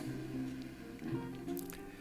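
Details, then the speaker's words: Longines Symphonette LMR-2400 (Hitachi KS-2400) early-1970s receiver under repair: a station on AM plays clear, steady music with light hiss. AM receives normally, while FM gives only static, so a fault is suspected on the FM board. "You can hear static, but nothing coming through, so there's something on the FM board. But the AM board, or the AM band works."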